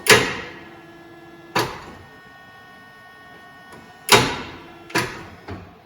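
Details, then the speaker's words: Mercedes 450SEL 6.9 barn find, European market, sitting over 30 years, first attempt with new battery: only isolated sharp clicks a second or more apart, no cranking; engine won't turn, seized. "all right let's um yep that's not good it doesn't want to turn"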